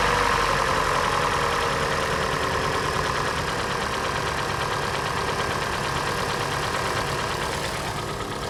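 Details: Hyundai/Kia G4NA engine at idle; hollow, fairly regular knock, roughly three a second, over the idle. Piston slap; teardown found scuffing in cylinder three, so the engine will be resleeved.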